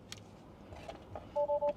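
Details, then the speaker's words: Tesla Model S with an intermittent HVIL fault (BMS_w126 Blind Mate code), with an ammeter wired into the footwell loop to the BMS: disconnecting the cable opens the high-voltage interlock loop, and three quick, evenly spaced two-tone warning chimes sound. "I'm just gonna hook up the amp meter in between here. So once I disconnect this, you will hear the car complaining."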